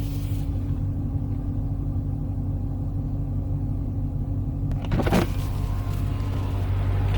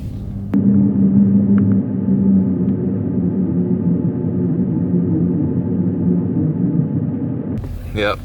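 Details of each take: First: 2015 Dodge Challenger SRT 392 after replacing the 3.09 rear differential, in break-in: slow sharp turn in the same cul-de-sac as the earlier growl, A/C off; low steady rumble, only tyre noise; differential quiet. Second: 2015 Dodge Challenger SRT 392, 30k miles, original 3.09 rear differential: low steady groan and rumble through a slow tight turn with no throttle; worn limited-slip clutch packs blamed.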